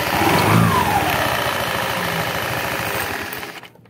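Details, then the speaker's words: Loose, fast rattle from the CVT belt drive of a Honda Beat injection scooter as the engine drops back after a throttle blip. The pulley is removed (22 mm nut) to fix it without replacing parts. "ya ya suara eder-eder di [Musik] situ nah itu kalau habis digas suaranya ender"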